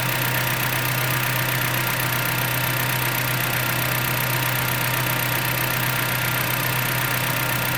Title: 2010 jeep patriot engine ticking noise